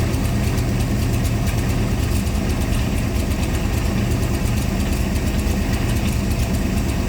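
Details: C3 Corvette V8 after the float and mixture tune, idle turned down: a steady, even idle with a smooth low rumble and no misses or hunting; normal idle.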